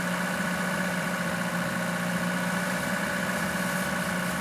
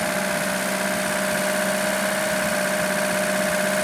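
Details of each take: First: Lada Niva carburettor engine, woken from winter storage with long-running idle problem: steady low idle with slight uneven shake; disconnecting the carburettor idle cutoff solenoid wire changed idle, pointing to the solenoid's power circuit. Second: Lada Niva engine after fixing an idle problem traced to the carburettor idle solenoid: steady, even idle with a constant hum, no stumbles, surges or knocks; now starts and runs smoothly.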